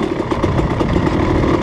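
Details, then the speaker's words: Rekluse auto-clutch dirt bike (off-road) at lowest speed, off throttle: quick even pulsing at low revs, no slipping or surging; a throttle blip locks the clutch up, and engine braking works normally. "Hear it? That's recluse engine braking. Woo, some serious engine braking with the recluse. Still doing it, hear it?"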